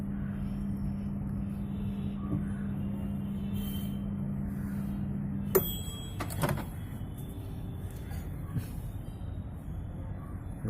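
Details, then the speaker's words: LG MS1911HE microwave oven after greasing and oiling the noisy fan motor; low, steady hum with no growl, then door clicks; the noise is gone, running normally. "LG microwave जो आवाज आ रहा था उसको हमने मोटर को हमने ग्रीसिंग और वायलिंग किया। आवाज बंद हो चुका है।"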